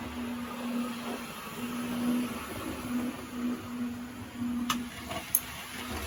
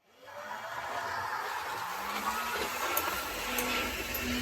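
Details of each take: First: Vintage DMU model train with ribbed wheels replaced by smooth milled wheels: faint steady motor hum with light rolling rattle; runs quieter than before. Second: Vintage Tri-ang Hornby Diesel Pullman model train with Train Tech SFX20 sound capsule, before fix: steady harsh whirring rumble with hiss from motor and serrated knurled wheels on track, drowning sound unit; fix is milling wheels smooth.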